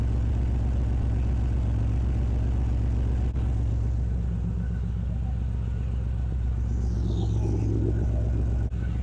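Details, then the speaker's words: GMC Squarebody truck with an LS engine after a Holley Terminator X swap: lumpy, loping idle with weak pulses; a whole bank is not firing because the bolt on the ground wire at the back of the cylinder was loose. "that whole side is not firing something ain't right somewhere that whole side is not firing could it be a bad ground nothing on that side is firing"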